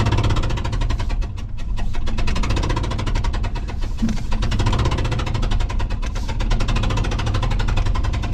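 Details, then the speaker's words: 2005 Ford F-150 V8 driven into shop with #3 cylinder spark plug blown out after a friend's plug change, threads damaged; rapid steady popping and banging over rough running, cylinder puffing through the empty plug hole. "we're just gonna drive it in it'll be popping and banging without that spark plug in that hole but uh we just need to get it inside"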